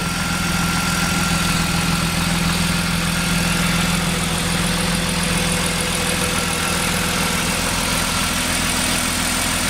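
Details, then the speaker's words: BMW E36 M3 test-started after replacing the fuel pump and a damaged wiring harness connector: a steady, even idle with a constant hum and no misses, knocks or surging. "that sounds good I'm gonna go take a peek at the power plant"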